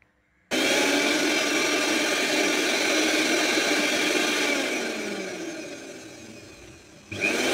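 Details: Mixer (mixie) after replacing the faulty 1-2-3 step on/off switch and refitting all screws: steady high-pitched whir at full speed, coasts down then picks straight back up; motor runs smooth and even, no rub or grind, working normally.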